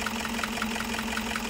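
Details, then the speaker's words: Toyota Hiace 2KD diesel with a rough, shaking idle and a sharp clatter about five a second. It is hard to start with long cranking, lacks power, and dies when the throttle is released. "Coba kita tes ya guys ini mesinnya guys terus mesinnya goyang-goyang"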